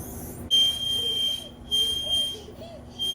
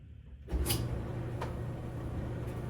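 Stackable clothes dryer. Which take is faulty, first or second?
first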